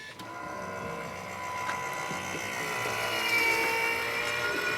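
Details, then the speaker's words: Chrysler Sebring convertible top hydraulic pump running after refilling oil, air suspected in the system and a leaking cylinder: steady high-pitched pump whine rising as it loads, fluid gooshing around inside; fault unclear. "It's gooshing around in there."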